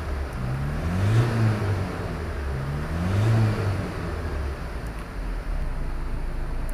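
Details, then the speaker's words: 2017 Ford Transit Custom 2.0 EcoBlue diesel after repairing a chafed CAN wiring fault causing no-start: starts, two clean rev blips, settles to even idle, no warning lights; normal revving. "pop the ignition on foot on the clutch start her up revving up nicely dashboard now isn't delayed no warning lights on everything's working"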